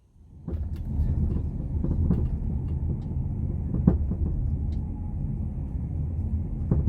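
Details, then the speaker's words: 2010 Nissan Rogue moving over road; dull irregular clunks and knocks over low rumble when turning and over bumps, from worn sub-frame bushings, a common, often misdiagnosed issue. "Now, if you're watching this video, you've probably got a suspension noise that sounds something like this."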